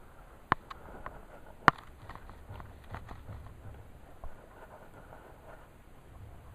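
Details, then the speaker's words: Mercedes 190SL steering, idler arm wiggled by hand: a few sharp irregular clunks with each wiggle in a quiet shop; idler arm is loose and needs a new bushing, steering gearbox probably needs replacing and resealing. "I should not be able to wiggle it and make noise like that so we need to do the ey AR bushing"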